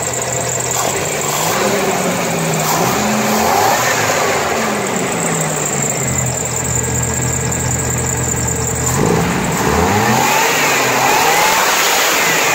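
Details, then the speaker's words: 1992 Chevrolet S10 2.5 fuel-injected Iron Duke four-cylinder, 164,689 original miles: free revs, pulling up smoothly through several blips and settling back cleanly with an even note, no knocks or misses; healthy. "Let's see if I can rev it here."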